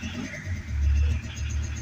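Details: Rusty VW T4 diesel van during repairs: a deep, uneven low rumble as it catches and keeps running, rough at first but holding, so the fuel system is delivering; it still needed more easy-start spray; diesel engine running.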